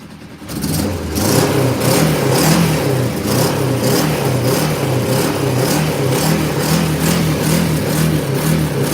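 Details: Motorcycle started cold with snow on the ground, earlier seeming to fire on one cylinder on high choke: now a steady, even beat with no misfire, stumble or knock; running perfect, purring like a kitten.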